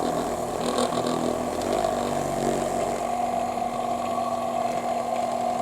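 Steady low-speed hum with a constant pitch and no rattle or catching; the massager motor is running smoothly.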